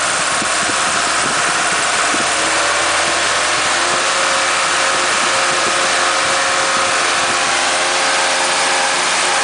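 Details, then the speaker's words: Ford Pinto with automatic, swapped unleaded cylinder head, at about 2500 rpm: loud roar with coarse shaking drone pulses, whole car and bonnet shaking, exhaust manifold blowing; heavy vibration from 2600 rpm, cause found to be a loose alternator bracket. "right as you can hear it by the whole car is now shaking look at the bonnet and then you'll hear about two and a half thousand revs for a real shaky experience sort of pulses there drone drone drone drone dron"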